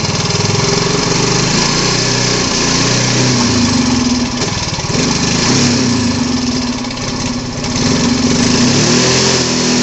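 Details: Yamaha Mio Fi 125 scooter that suddenly won't take throttle: single cylinder putters at idle, then sags and stumbles instead of revving when the throttle opens.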